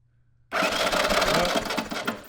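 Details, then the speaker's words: 1983 Honda ATC 200e 200cc three-wheeler, non-running until rewired with a new battery, fuel tank and carburetor: uneven, lumpy cranking with heavy chunky pulses; suspected rod knock, not confirmed. "yeah dude it sounded chunky man spinning over like that sounds like a rod knock which i'm wondering if if it's worth rebuilding or getting a new engine i don't know"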